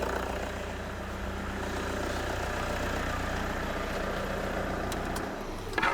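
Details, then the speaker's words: 2006 Toyota Hilux 2.5 litre D4D diesel with a crank-no-start and no codes, on a quick test run after fuel-system work: a steady, even idle with no knocks or misses; the engine sounds good, with no sign of clogged injectors. "Just a quick and dirty test, just to see if the engine was all right. And the engine does sound good, so it doesn't sound like there's clogged injectors or anything like that."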